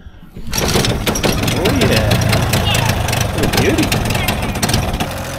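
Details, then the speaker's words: 30 hp two-stroke outboard on barn-find 14 ft alloy boat, after replacing an internally shorting spark plug and fitting a new fuel line and tank: smooth, steady idle with even low burble, no misses; runs cleanly and quietly. "Beauty right all right turn that ID down oh that runs beautiful M that sounds perfect actually it's nice and quiet for a two stroke as well"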